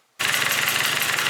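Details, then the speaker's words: Yamaha Vino two-stroke scooter with a new 70cc big bore kit, new coil wire and plug, after swapping the exhaust gasket to cure a bad exhaust leak: starts at once into a steady, crisp buzzing idle with no puffing or spitting. It runs as it should. "The Veno lives finally. We swapped the exhaust gasket out cuz the exhaust leak was terrible. So, we put a different one in. She runs."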